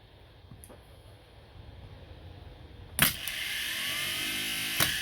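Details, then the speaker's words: Starter for an '80s Chrysler turbo Dodge, bench-tested on the battery with a jumper wire to the solenoid: a click, then a smooth high electric whir holding steady; starter works normally. "you got to make sure there's a good connection of course but this one works"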